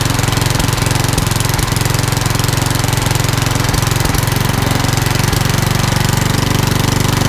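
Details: Old rusty Tecumseh 10 hp HM100 single-cylinder after new genuine carburetor and governor linkage correction: steady, even chug holding constant speed without surging or stalling; runs great now.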